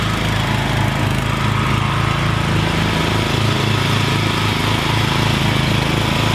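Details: Rebuilt Troy-Bilt mower cutting grass, after new piston rings and a brand-new carburetor adjusted about half a turn. Steady, even engine note holding speed under cutting load with no misses or surging; normal running under load.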